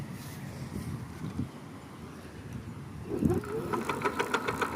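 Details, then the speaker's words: Electric bicycle hub motor after about 6000 km: a quiet whir picks up a rapid, uneven ticking knock, three or four a second, as the wheel spins. Brake sensors and throttle ruled out; knocking is inside the motor. "Здравствуйте, затарахтел мотор. Затарахтел, как бы он набирал постепенно звук появлялся, то есть я как бы думал, что это просто специфический звук, но сейчас как бы покажу."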